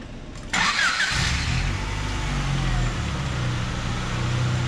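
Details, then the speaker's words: 1994 Honda Accord, after the throttle body was cleaned and the valve refitted to cure surging idle: quick start, then a smooth, even idle that settles and holds steady with no hunting or surging. "Wow guys, the idle looks really good."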